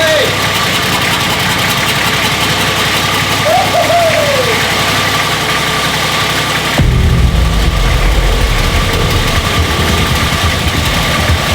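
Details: Nissan GQ Patrol diesel after first start in 3.5 years, no coolant: runs on at steady idle clatter, then deepens and grows louder around seven seconds despite intake covered and fuel disconnected; won't shut off, cause unknown.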